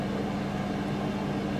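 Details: Hotel room air unit running very noisily: loud, steady whirring drone with a low hum that never changes pitch.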